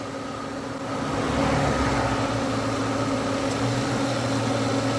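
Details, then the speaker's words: 1996 Ford Mustang idling after splicing in a temporary A/C connector from a 94: A/C switched off, so the compressor clutch disengages, leaving a steady even idle with a faint fan whirr and no compressor load; normal idle. "She just turned the switch off and you can see the compressor is shut off."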